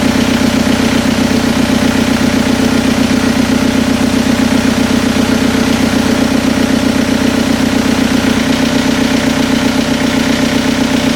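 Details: Toyota pickup with swapped TDI diesel engine, first start after a head gasket replacement, injection pump not yet adjusted, before full warm-up; steady, even diesel clatter with no misses, knocks or hunting: normal idle.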